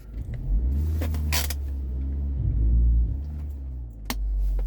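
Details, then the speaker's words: Audi A4 B6/B7 under load with handbrake up: heavy, uneven surging rumble from a severe cylinder 1 misfire. The original misfire was on cylinder 3, and after its coil was swapped to cylinder 1 the misfire followed, so the owner suspects the ignition coils. "see that under load up handbrake up look at that so under load heavy misfire cylinder number one"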